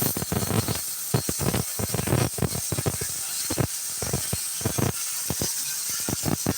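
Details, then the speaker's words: Student welding downhill, tying in and staying straight: even, fast crackling sizzle holding steady with no pops or breaks, a healthy well-set MIG arc laying a really good bead. "he's he's dropping a really good b we're working on downhill tying in uh staying straight right now that's what we're doing so he's doing good man"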